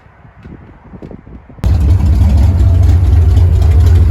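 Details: Carbureted car with ongoing fuel pressure problems catches and settles into a deep, uneven, lumpy idle. Owner says it's starving for fuel and doesn't know why; he plans a new fuel filter and carburetor clean. Rough idle, cause unconfirmed.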